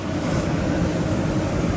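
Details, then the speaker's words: Truma Aventa roof air conditioner on a towable RV, fan on high ("hurricane") speed: a loud, steady rush of air with an even low hum and no rattle or squeal; normal operation. "We'll go to high. And that's pretty loud, actually. But it is putting out a ton of air."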